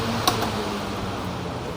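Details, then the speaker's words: Family 18-inch five-blade fan with large motor, after repair for slow/no start, high speed: even steady air rush, no rubbing, rattle or wobble, one brief early click; working normally. "โอเคนะตำรับการซ่อมนะครับใช้งานได้ปกติแล้วนะครับ"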